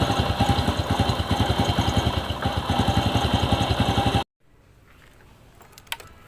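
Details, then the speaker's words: Bonus Sport SR small motorcycle after the rubbing magneto was replaced with a good used one: engine idles with an even, steady beat and no knocking from the magneto area, then cuts off abruptly. Normal idle. "Okay mga boss ig na yung andar niya wala na yung kumakatok dito sa may Magneto na siya ngayon"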